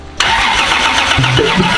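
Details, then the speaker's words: 2JZ-swapped FR-S, first start: catches on cranking and runs rough, deep pops coughing back out the intake; ignition timing off, to be set with timing light. "oh back right out the intake timing's off little Pops in the intake like little like deep deep ones so we're not super in there"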